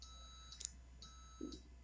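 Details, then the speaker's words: 2020 Alante 27a RV auto-leveling system after pressing auto level: faint low pump hum under a pulsing high tone with short beeps, jacks-down light on as jacks extend; normal auto-leveling operation. "press the auto level button you can hear the pump running you'll see the jack's down light came on and it is currently extending the jacks"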